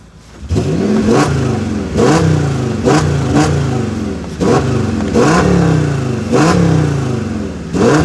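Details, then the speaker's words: Audi S8 after intake manifold rebuild: repeated crisp blips about every second, each climbing cleanly high into the revs and falling back without stumble or rattle; sound now more aggressive; healthy revving. "on sent que le le bruit il est beaucoup plus rock en tout cas elle [Musique] marche vous avez vu ça elle monte bien bien dans les tours c'est impressionnant"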